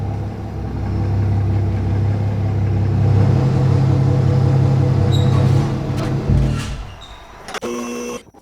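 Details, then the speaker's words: 300hp supercharged 12ft aluminum mini jet boat: deep even drone without rattle or shake, easing off as it slows; formerly vibrated and rattled badly (owner feared failing supercharger), now smooth and quiet, normal running. "And wow, it's so smooth now. It used to vibrate really bad and it's so much quieter."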